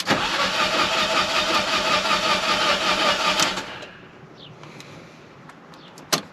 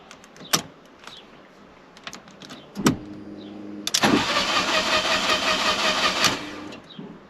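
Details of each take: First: Fiat 500 TwinAir replacement engine after install: steady starter whirr about three and a half seconds, even cranking beats, no firing, with fuel pump disconnected to build oil pressure before first start; normal cranking. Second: Fiat 500 TwinAir replacement engine first start attempt: a few clicks, then starter spins about two seconds without firing; crank-no-start, fuel pump not heard, owner suspects fuel cut-off activated.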